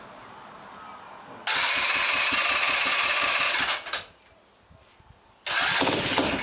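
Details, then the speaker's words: Honda farm bike under restoration, fuel tank refitted and fuel added, on hand choke: engine catches, runs raspy for about two seconds, dies, fires again, won't settle into an idle. "so I'll Chuck some fuel on it now and see if it stays alive for more than two seconds"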